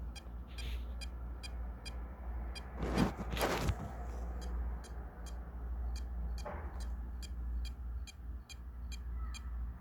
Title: Hdd Buzzing sound problem. (Solution needed!)